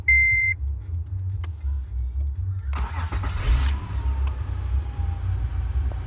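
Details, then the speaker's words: 2006 Acura TL after ignition starter switch replacement: one chime, brief starter whir, engine catches and settles to steady idle; relay buzzing gone, though intermittent starter grinding on flywheel at initial crank remains. "It sounds a little bit more healthy. So no more buzzing noise."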